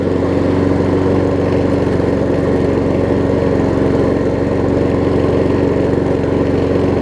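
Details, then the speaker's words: Troy-Bilt self-propelled mower fitted with donor Honda engine (pre-2012 engine on post-2012 deck), restarted: steady even single-cylinder putter, no misses or knocks; runs well, slightly low compression. "it does seem like it's a tiny bit low on compression, but it runs good."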